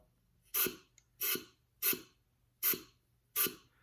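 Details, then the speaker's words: A904 transmission rebuild (1970 case), on the bench before the valve body goes on, front drum clutch air-checked: five sharp air blasts, each with a slight thud; normal clutch piston apply. "Now you're not going to see anything, but you hear like a little slight thud. Hear that? We know the piston's applying."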